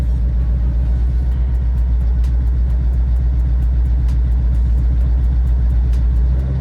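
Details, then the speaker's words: 2011 Ford Mustang GT, twin turbo, with an N2MB two-step launch limiter set at 3,000 rpm and misfire logic off. With clutch in and throttle floored, the turbos spool and a loud rumble is broken by uneven pops: misfiring on the launch limiter. "That sounds so cool. You hear it spooling up, too. But, she keeps misfiring, though. See? Misfiring, misfiring."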